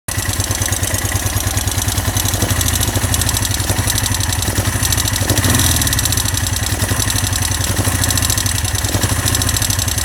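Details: Honda SL 175 motorcycle engine idling with a busy metallic rattle over the exhaust beat; cause unknown.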